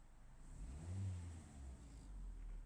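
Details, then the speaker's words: Car that fails to start when the ground is wet but starts when it is dry, run on a dry day: low engine note swelling and easing evenly on throttle blips, with nothing odd. Revving sounds normal, and the owner does not know the cause of the wet-weather no-start. "You just heard it start. You saw me driving it back forward and back. You hear the engine revving revving."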